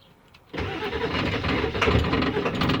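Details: 1997 Ford F-250 7.3 diesel that cranks but won't start after starting fluid was sprayed, fuel filter already changed: starter churns at a quick even beat but it never catches. Owner suspects the fuel pump; not confirmed.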